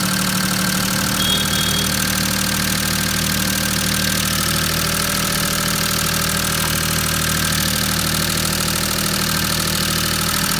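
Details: Maruti 800 DX 5-speed MPFI petrol engine idling with an uneven, stumbling beat of about three pulses a second, typical of a misfire.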